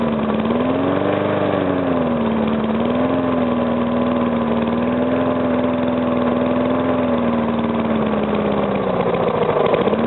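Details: Briggs & Stratton single-cylinder engine, first start after rebuild where rings were rearranged to stop compression leaking past the piston: even idle putter with slight speed drift, no knock; runs normally.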